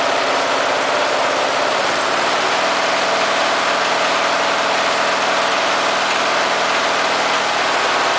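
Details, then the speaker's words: Briggs and Stratton engine fitted with an oxygen sensor, at low idle after richening the mixture: steady, even idle with no stumbling or hunting; runs smoothly since it prefers rich. "so reasoning the mixture even at low idle uh improves the engines running this this engine does not like to run at a very lean mixture at all it likes to be on the on the rich side"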